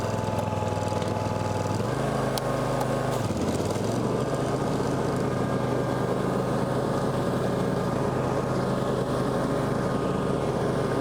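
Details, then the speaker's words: Low-hour John Deere X350 riding mower, revived after sitting in a warehouse for several years, test-run outdoors in the yard: steady, even engine drone with one brief throttle dip near three seconds, then a smooth settle. Running great, healthy. "Wow, she's running [Music] great. Sweet."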